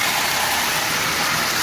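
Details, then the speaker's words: Marx 898 toy locomotive, long stored, cleaned, lubed and tuned: constant gritty raspy whirr over the motor hum; worn intermediate gear, will need replacing eventually, runs fine and may quiet with running. "it actually is going to need an intermediate gear eventually it's still running fine it's just noisy and I've lubed it and as it runs it will very likely become less noisy but it's definitely gear noise"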